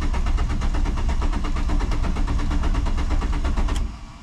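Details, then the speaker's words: Mk2 VW Jetta after new coolant hoses, sat about five months with a weak battery: steady even starter churn around two beats a second, turning over but never catching; owner thinks it must build fuel pressure. "it's cranking sounds fine probably got to build up pressure has been sitting for I think it's been how long it's been here like five months"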